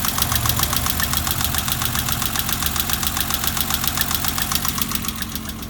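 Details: BMW 325i E30 six-cylinder after its fourth valve adjustment, slightly uneven idle with a fast even tick three to four times a second; one or two valves still ticking, owner suspects wrong clearance.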